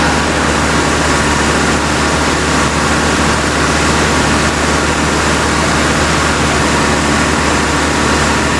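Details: 1956 Buick Century, freshly professionally rebuilt engine during break-in, deliberately held at fast idle; steady, even raised idle under a heavy roar with no knocks or misses; temperature hovering around 195°, healthy.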